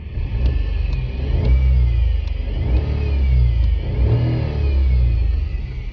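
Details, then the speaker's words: 2020 Renault Kwid, 30,000 km, engine running with clutch pedal pressed: thin high whine rising and falling with revs; worn clutch release (collar) bearing, attributed to resting foot on pedal, fixed by removing gearbox and replacing the bearing. "o motor está em funcionamento e eu com creme embreagem aqui ó parou pisou ele apresenta esse acelerar o barulho até aumentam"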